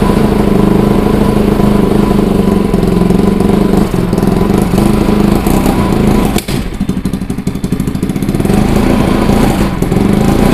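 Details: Bajaj Pulsar NS200, idle about 3 months, now running after battery replacement, petrol added and the water-carbonised kill switch cleaned: steady, even thrum that dips briefly around one blip, then recovers to a smooth idle; normal idle.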